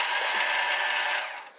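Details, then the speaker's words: 1984 Honda Elite scooter with the starter relay jumped: a high, light whir spins up and fades with no cranking beat. The starter is spinning without engaging the flywheel. "it doesn't sound like it's engaging with the flywheel"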